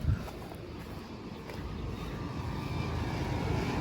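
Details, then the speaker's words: HVAC outdoor unit on a New York service call: steady low droning rumble from the compressor, rougher and louder than a healthy one should be; the cause of the noisy compressor is suspected but not confirmed. "I wonder what's up with that compressor and I wonder if the compressor noise has anything to do"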